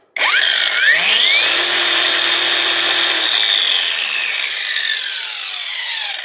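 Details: Parkside Performance angle grinder after repair fitting a relocated momentary push button: snaps on, whines up to a steady high pitch, holds evenly, coasts down smoothly; no rattle or grinding, healthy.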